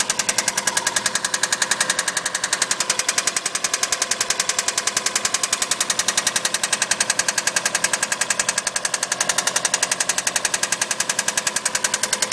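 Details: Subaru EJ20 engine: sharp, fast, steady metallic knocking, roughly 210 a minute, hammering over the engine; a clear knock with no cause evident.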